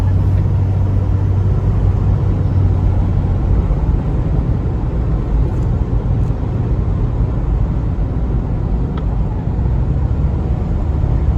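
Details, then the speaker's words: 2004 Chevy Trailblazer LS EXT 4x4 4.2L after replacing the front wheel hubs, coasting downhill on test drive: a steady low road rumble with no hum building with speed; the earlier front-passenger hub hum is gone. "i can coast i don't have any engine noise whatsoever and didn't hear a thing so that humming noise was definitely the wheel hub because now it is no longer humming"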